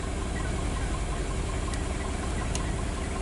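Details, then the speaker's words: A 2003 Toyota with codes P0200/P0201 has a lumpy, stumbling rough idle from a cylinder misfire. Cylinder 1's injector gets no signal from the ECU. "real quick right so I'm hooked on number four right here right and here in the vehicle like it's stumbling on itself and I got the current clamp around number one right"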